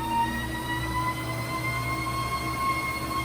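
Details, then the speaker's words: Treadmill after repair replacing belt, springs, cushions, caps, idler roller, bolts and incline motor; original metal-on-metal noise fixed but new noise since new belt, run through 2–7 mph: steady whine with several even high tones, source unknown. "but now there is a new noise since installing the new belt, and the technician was unsure where it was coming from."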